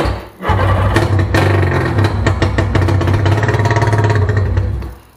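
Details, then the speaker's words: Abandoned 1996/1997 Sea-Doo GTI 720 two-stroke, sat for years, 150 psi compression, running on starting fluid with exhaust pipe off: loud raw bark running steadily several seconds; normal running, exhaust disconnected. "it runs it really runs so that means now we just got to get feel to it it's loud because the pipe is off of it down in there but she does fire up and run"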